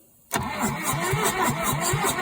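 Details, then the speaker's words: 1963 Case 310F bulldozer, first start attempt after 15 years sitting outdoors, on a new cable setup after suspected weak cables and poor grounds: the starter turns over quickly at about four beats a second, cranking without firing. "Sounds like she's trying to go."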